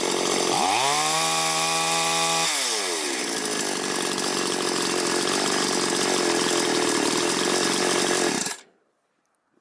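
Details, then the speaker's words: Chinese chainsaw after adjusting both carburetor jets and the idle screw, air filter still off: rises smoothly to a steady high rev and drops back cleanly. Properly tuned, though it needs slight readjustment once the filter is fitted. "налаштована, але коли ми ще її зберемо до кінця, поставимо фільтр, її треба ще буде чуть-чуть підрегулювати, бо фільтр глуши оберти."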